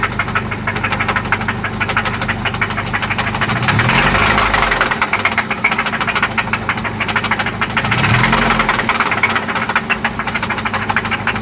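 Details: 1995 Toyota Celica ST after an oil change and spark plug replacement: a loud, sharp, rapid ticking knock, steady over the idle and swelling with two brief revs; an internal knock that seems to come from one spot, cause unidentified.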